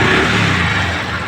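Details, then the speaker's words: Honda Dream Yuga motorcycle after engine rebuild and fitting (push rod, tappet setting): starts on the self-starter and settles into a smooth, even idle; the earlier crank knocking is gone, engine sounds healthy. "दोस्तों गाड़ी sound अच्छा आया गाड़ी का sound आप सुन सकते हैं"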